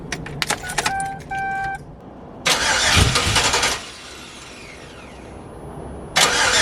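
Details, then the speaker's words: Yukon with gauge cluster signal wires piggy-tailed into the Holley harness, possible security function suspected: bursts of fast, steady starter cranking but the engine never catches; cranks, no start. "All right, so we went through and tried a bunch of stuff, and then also went and got some gas and put some gas in it, and still no start."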